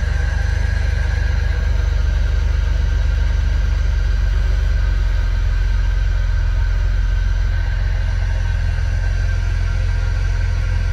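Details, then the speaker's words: Jeep Rubicon, about 1,700 miles, rod knock suspected earlier; cold start after sitting overnight: deep, steady low idle rumble with no knocking or ticking, holding oil pressure, though it was slow to start. "I don't like how long it took the start and how we can sounded but it's running and it's not knocking and it's not clicking so that's good and it's holding oil pressure"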